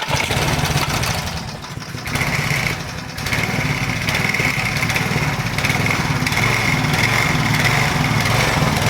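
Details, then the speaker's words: Power Trim edger with a small single-cylinder engine, nearly new but left unused. Speed rises and falls every couple of seconds as the governor chases a fuel-starved carburettor. Engine hunting; needs carburettor clean and Pulsa Jet carb kit. "I call that hunting so it just needs the carburetor clean and because what it does is like when it revs up it had just closed down the throttle to suck more fuel in and it just keeps going back and forth back and forth"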